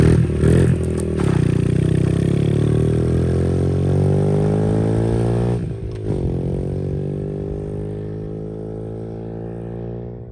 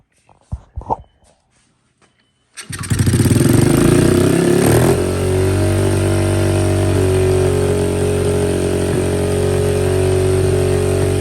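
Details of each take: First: 2003 Honda XR50 single after carburetor set up and adjusted, first ride through dirt under load: revs up cleanly and pulls, pitch climbing smoothly then easing off, no misfire or clatter; running well. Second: 2003 Honda XR50 single after a whole new carburetor system, on fuel reserve: catches after a few kicks, surges to a fast revving idle and hangs high; aftermarket throttle cable lacks enough adjustment and holds it open.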